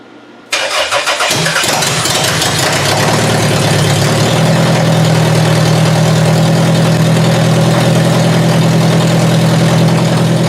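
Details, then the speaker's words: Toyota Solara demolition derby car that ran poorly and started hard in cold wet weather, coil packs damp; windshield washer fluid poured on: short crank, catches and stumbles, rough idle; coil packs seen arcing out, suspected cause of misfire. "you heard it when it fired up that it kind of stumbled a bit. So, I seriously think this was the issue. You could actually see the coil packs arcing out."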